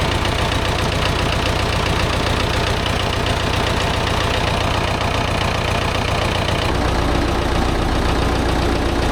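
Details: David Brown 990 diesel tractor abandoned 20 years after tipping over while running, fuel system flushed, fresh fuel, air filter checked, oil not yet changed: steady even chug about 220 beats a minute, no misses or knocks; runs, sounds not bad.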